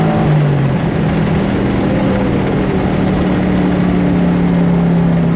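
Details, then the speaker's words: LS V8-swapped Infiniti G35 at wide open throttle after sitting 2–3 weeks and a battery reset: a steady, strong V8 roar with a clean rising note and no misfire or knock. Fuel trims and oil pressure are good. Normal wide open throttle. "Okay, so fuel trim levels are good under wide open throttle. I think we might be good."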